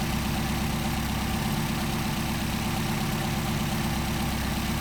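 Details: Steady, even low idle with a smooth, unbroken rumble and no misses or hunting, while adjusting idle mixture screws on a freshly rebuilt pair of Solex carburettors: healthy idle.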